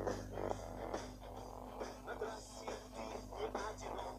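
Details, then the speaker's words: Toshiba Satellite A210 laptop, right speaker playing music alternates between clean and rough buzzy distortion; cause found on disassembly: torn speaker membrane. "в данном случае ноутбук нас тошиба сателлит a210 ним барахлит правый динамик при прослушивании музыки штатов нормально"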